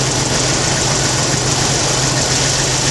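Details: 1991 Jeep Wrangler YJ 4.0 idling smoothly and steadily with an even hum and no misses, knocks or surging during a fuel pressure test; pressure about 39-40 psi, fuel pump and regulator working; healthy idle.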